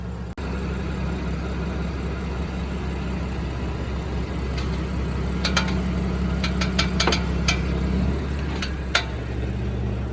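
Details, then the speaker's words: BMW M4/M3 (F8x) after lowering springs were installed: sharp, irregular clicks from the front suspension when turning the wheels at low speed or when parking, over a smooth idle. Suspension clicking when steering. "after i installed the lowering springs every time i turn my wheels at low speeds or when parking it makes an awful clicking noise"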